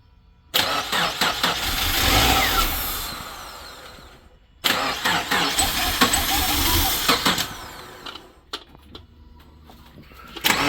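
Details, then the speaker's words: Reassembled automatic car after repair work, first start attempt: two long bursts of steady starter cranking, about four seconds each, never catching; possibly starved of fuel, with the fuel gauge showing the tank below empty. "And then we both look over at the fuel gauge, and the fuel gauge is sitting below empty."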